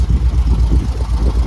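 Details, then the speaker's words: 1972 VW Beetle flat-four, just revived after over three years standing, with heavy end float: a deep, chugging, uneven tractor-like throb, with the engine running rough and shaking. The cause is unconfirmed; the owner questions the fan noise and goes to adjust the distributor. "Arc of it. Sounds like a tractor engine."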